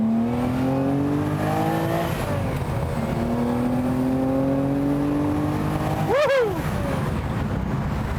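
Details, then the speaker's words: The 6th production Lamborghini, a restored 1960s car with its V12 warmed up to temperature, at full throttle. A strong, clean rising note pulls hard through the revs, shifts, then pulls again. Normal, healthy acceleration. "That is a fast car."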